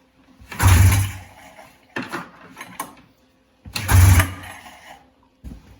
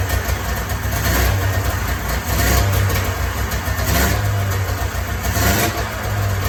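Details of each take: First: 1994 Polaris Indy 440 two-cylinder liquid-cooled snowmobile, after 12 years sitting, first start on fresh fuel from a can, fuel pump confirmed pumping: two pulls, short chuffs, no firing; no spark, later restored by unplugging stator black wire. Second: 1994 Polaris Indy 440 two-cylinder liquid-cooled two-stroke snowmobile, sat 12 years, new gasket, running off tank fuel: crisp buzz rising and falling cleanly with throttle blips, no stumbling or misfire; clutch engagement RPM unknown, seems to run pretty good.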